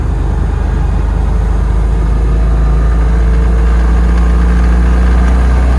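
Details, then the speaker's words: 1994 C4 Corvette LT1, built 383 with AI heads and cam, driving under load: heavy steady low rumble and vibration from 3,000-5,000 rpm in every gear, smooth cruising at 2,500 rpm in fifth; suspected balance or valve train, unconfirmed. "See, it cruises good at 2,500 RPM, fifth gear, but it rumbles, vibrates from 3,000, 4,000, 5,000 in every gear."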